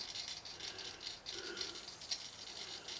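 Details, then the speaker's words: Garrard SP25 Mk4 turntable: light, fast, tinny rattle while the platter spins, from a part come unglued off the bottom of the motor; noise stops once it's cleared, to be re-glued. "That's our motor needs sorting. So, we need to find the glue. That's the thing that's come off the bottom of the motor causing that."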